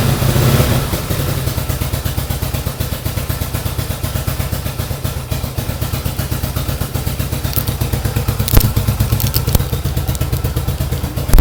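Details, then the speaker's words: 1970 Yamaha XS650 XS1 carbureted twin, freshly rebuilt (new pistons, rings, valve job, seals, new exhaust), cold idle while warming: steady, even low thump, regular firing, no knocks or ticks; sounds healthy and quiet. "You can hear it. It's idling. Takes a little while to warm up on these old carburetor guys, but you can see sounds really good."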